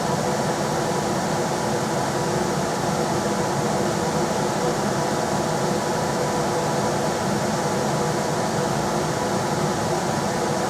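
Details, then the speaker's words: Rheem RBH residential air handler after its squeaking, non-serviceable blower motor was replaced with a 1030 rpm motor (old one 825 rpm): on high speed there is an even rush of air with a faint steady hum and no rubbing, ticking or wobble. Normal operation. "oh yeah that works good that's on a little higher or it's on high now"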